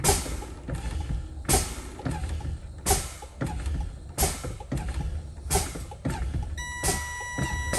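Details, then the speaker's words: Truck air brake low-air warning test during a CDL pre-trip check: brakes fanned with repeated sharp air bursts about every 1.3 seconds until a steady high warning tone sounds at 60 PSI, before 55 PSI; warning works properly. "I now hear the alarm. I'm at 60 PSI. It's a successful test. It came on before 55."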